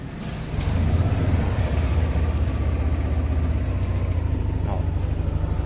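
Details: Yamaha Nmax/Aerox scooter, about one year two months old, restarted after dying suddenly; battery reads 14.2 V and is good: low, steady single-cylinder putter at idle, even with no misses or knocks, idling normally.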